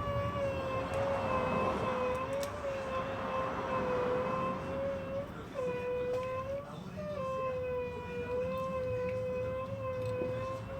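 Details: Cadillac brake job: a steady high squeal that wavers while the caliper piston is pushed back, and the piston goes in easily; the squeal is suspected to come from the ABS pump or valve, which is not confirmed.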